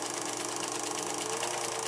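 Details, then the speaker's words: Vintage Kodascope Eight 90 8mm movie projector from the 1950s, projecting film, sounds like a jet engine and gets very hot: loud steady fan whirr, fast film flutter, constant hum; running normally, just noisy. "so it sounds like a jet engine getting ready to take off it gets incredibly hot"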